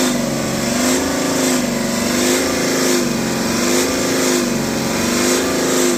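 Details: BMW X5 40d N57 diesel, revved through the mid range: a loud droning, resonant boom that swells and fades around 3000 rpm. It has been present since the previous owner; heat shields and loose parts were checked and fine, there are no fault codes, and the source is undetermined.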